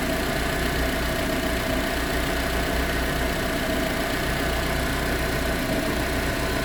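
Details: Proton Exora CPS idling with a fine, continuous metallic rattle over the engine hum; rattling at idle, cause not yet found.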